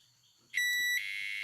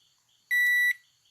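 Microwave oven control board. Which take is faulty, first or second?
first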